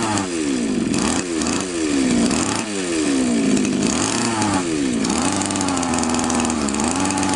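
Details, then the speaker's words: Champion two-stroke trimmer before the carburettor fuel screw is turned in, flooding heavily; the screw likely loosened from vibration: revs surge and hunt unevenly instead of holding steady; rich mixture. "Судя по всему Он очень сильно заливает сейчас мы будем этот вин закручивать"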